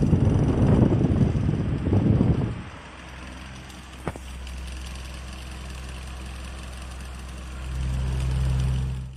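A steady low hum from a pedestal fan running smoothly, with no rattle or wobble.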